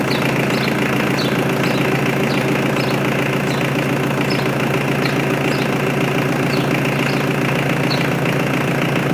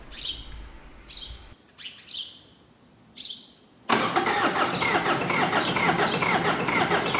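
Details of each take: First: Mitsubishi L200 K74 diesel 4x4 stored 15 years, freshly serviced with new air and fuel filters and oil, restarted after an unexplained one-off noise; steady even diesel clatter at idle, light ticks three to four a second, no misses; normal diesel idle. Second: Mitsubishi L200 K74 turbo diesel stored 15 years, new fuel filter; owner suspects lack of fuel in the circuit and pumps the priming pump above the filter; short cranking bursts that don't catch, then fires and settles to steady run; hard starting.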